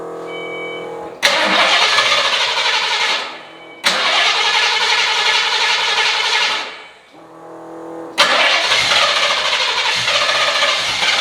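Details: 1993 Fox body V8, not run in years, with vacuum caps fitted and the spark plug wire reconnected: fires up in three loud bursts, catches quickly and revs cleanly with an even beat. Normal start and idle on all eight cylinders.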